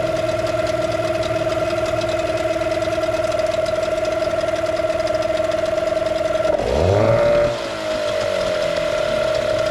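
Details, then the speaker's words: Old two-stroke outboard just started on the first pull after sitting a very long time: an even, buzzy note holding steady, a quick blip, then back to a smooth idle. The idle is normal. "That is absolutely ridiculous. First pull. Oh my God. And listen to it, it's idling like a sewing machine."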